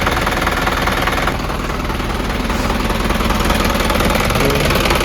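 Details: Isuzu 4HG diesel just after overhaul for a blown engine: idling with steady clatter, about two and a half beats a second, no hunting or heavy knock; sounds healthy.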